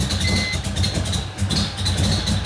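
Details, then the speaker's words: LS-swapped BMW E46, not run in over a year, freshly rewired, double-size injectors at 80 psi fuel: rough, lumpy uneven idle with dips that died; misfiring and smelling very rich. "We got all the way to 18 and then died. Yeah, it's probably because it's misfiring like a son of a... It certainly smells very rich."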